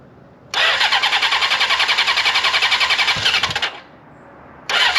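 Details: 1979 Honda CB750 first start in a long time, freshly cleaned carburetors reinstalled, new battery, choke on, cold: four fires at once, rough fast patter about three seconds then dies; owner suspects idle screw needs turning up, carbs need tuning.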